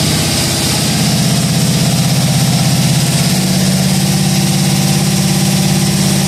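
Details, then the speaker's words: Budget cammed 5.3L V8, first start, on a base tune and not fully tuned, with repainted headers. Deep, steady idle with a regular pulse of about three beats a second and no misfire or knocking. Normal idle. "well it's not fully tuned but it's running on the tune he threw in it uh everything sounds good no knocking no clanging no banging"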